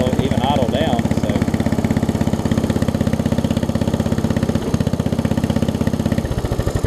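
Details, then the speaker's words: Murray widebody riding mower, single-cylinder, after sitting for years, running before carb and fuel line replacement; pops about three times a second, uneven and stumbling, struggling to stay running after a minute or two; owner suspects constricted fuel lines and carb. "But you can hear it. You can hear it. Really having difficulty staying running after about a minute or two."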